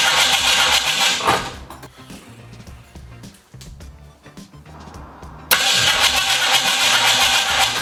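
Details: 1968 Ford Mustang coupe after fitting new terminals: loud, fast, even cranking at about four turns a second that never catches, stops, then cranks again; crank no-start, owner suspects an ignition or spark problem, not confirmed.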